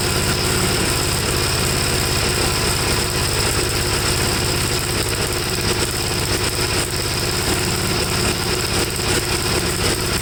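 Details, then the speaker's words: 1954 Gravely single-cylinder after carb cleaning, seemingly flooded and started without choke; it runs rich, stalls when leaned, and has a black, fuel-fouled plug; thumping unevenly and lumpy at idle; cause unconfirmed. "i don't know to me it's just running too rich no matter what i do and it can't be that both carburetors are doing the same exact thing"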